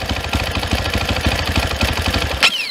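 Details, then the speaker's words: 2022 SSR SR300 dirt bike, single cylinder at idle: the fuel screw is closed until the engine nearly dies, so the thumping falters and thins out, then cuts out lean; the screw is then opened to the highest idle point. "We're going to close this off until it nearly dies. And it might."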